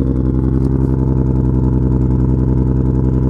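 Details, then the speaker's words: JZX100 or CL9 warming up after replacing one faulty coil pack (new BKR7E spark plugs also fitted): smooth, even idle pulse with no skipped beats. Normal idle; it was previously misfiring on one cylinder. "it sounds normal yes it sounds it sounds the way I wanted to sound you hear the difference this is the normal idle that I've been looking for"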